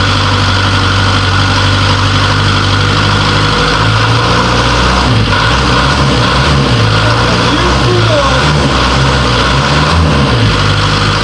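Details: Series 2 Land Rover diesel idling on first start in three years, running on 3-year-old diesel after a new starter motor was fitted and the battery found weak. Loud but steady clatter, even firing with no misses or knocks: normal diesel idle.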